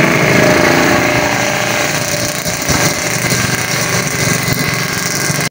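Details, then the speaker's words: Scooter CVT after replacing worn pulley shaft and bearing, brass bushing reused: engine revs and pulls away with steady drone, initial take-off now smooth with no juddering or grinding. "nah dan setelah saya tes Alhamdulillah hasilnya untuk tarikan awal itu sudah halus enggak suara grejek-grejek lagi karena aspulinnya udah baru bearingnya udah baru"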